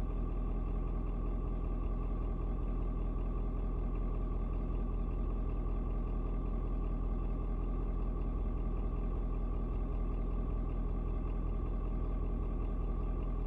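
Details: Ford Super Duty 6.7 diesel after a 56°F cold start: steady, even low rumble at idle after a slight rpm drop, no knocks or misses; owner unsure if block heater turning off; normal diesel idle.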